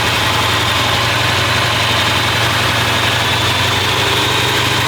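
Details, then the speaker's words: 383 V8 in a newly restored car, first start after welded block repairs, timing just advanced; smooth constant idle at about 900 rpm with a firm even beat, no stumble or hunting; oil pressure reads very good. "Let's go inside and look at the gauges. There's our tachometer. We're idling at about 900 RPM."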